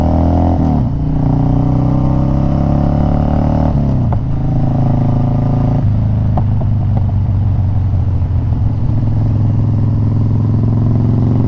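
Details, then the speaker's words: Twin Cam Harley-Davidson Dyna Glide (FXD) with a CV carb, on a ride. The V-twin rumbles, with sharp pops out of the exhaust on throttle-off and no spit-back through the carb. Owner suspects exhaust manifold gaskets are sucking in air. "So interestingly, that's not popping through the carburetor. This has no hesitation or spit back to it. It's just popping out of the exhaust."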